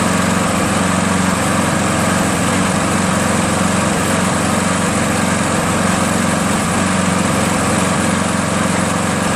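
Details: Craftsman 7HP green self-propelled lawn mower, long hard to start despite lapped valves, checked keyway and carb cleanings; after about an ounce of Seafoam in the fuel, steady even single-cylinder buzz at constant speed, no surging; runs smooth.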